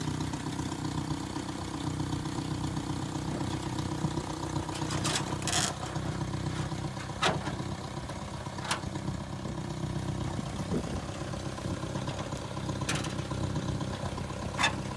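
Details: 1978 Datsun 1500 ute (GN620), stored 20 years in a shed, fitted with a new MaxpeedingRods carburettor: engine catches and settles to a fairly steady idle with a few sharp clicks while warming up before driving; normal idle.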